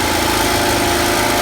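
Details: Champion generator, a Honda-clone small engine, on its first run after the carburetor was replaced with an aftermarket unit: steady, even idle with a smooth, buzzy drone and no misses or knocks. Runs clean.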